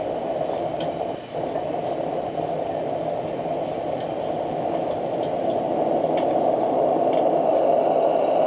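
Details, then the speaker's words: Military 252A pressure lantern, valve cracked open after the initial burn settles, at full pressure without further pumping; steady even roar with soft hiss, no sputter or surging; normal full-pressure burn. "Once it settles down, starts to burn some of that out, I'll crack that valve open and she'll sing. And there she is."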